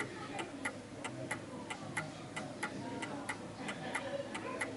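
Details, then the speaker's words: Circa-1930 Smiths Enfield 8-day oak mantel clock, recorded close up: uneven limping tick-tock, out of beat because it sits on an uneven surface; adjusted via the beat adjuster on the back. "meaning that it's ticking one side more than the other because it's on an uneven surface."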